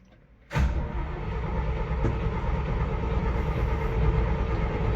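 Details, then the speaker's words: 1973 GMC 6500 grain truck with carbureted V8, cold start: low uneven starter churning without catching; known cold-blooded, carburetor suspected badly out of adjustment, later fires with extra starting help. "This truck, I've been told, is incredibly cold-blooded. More than likely the carburetor is way out of adjustment, but what are you gonna do?"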